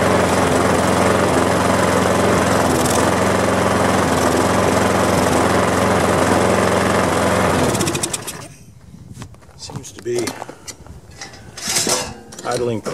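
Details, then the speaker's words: Push mower small single-cylinder engine after resealing and air cleaner cleaning: slow, steady, lazy low idle without speeding up; the tab where the governor spring hooks to the carburetor linkage was bent way back, holding speed low, and was bent back out. "that little tab where the the governor spring hooks right there with the spring going to the carburetor that's you know with the governor and all that good stuff on the"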